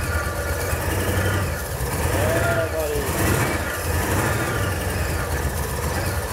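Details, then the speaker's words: Nissan S13 Silvia with supercharged VH45 V8 swap, first start, fuel pump relay bridged, jump pack on flat battery: low quiet burble with uneven wavering beat, runs on its own but not happy; rough idle. "oh it runs yeah good i don't think it's check i don't think it's megaly mega happy but it runs it runs and kind of runs on its own it's very quiet"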